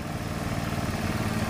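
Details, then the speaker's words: Carbureted Honda Beat scooter that died on the road with new battery draining; broken white charging wire (stator to regulator) reconnected, engine restarted: steady even putter at idle, no misses or knocks; normal idle. "sekarang motor akan kita hidupkan lagi guys Oke Ayo Mas kita hidupkan enak ya hidupnya guys"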